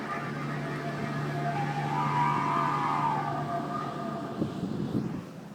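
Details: Chevy Volt driving: wavering high whine over low steady hum, louder with regen and also when accelerating; from the plastic "B" bearing between electric motor and gas engine, replaced with a metal one.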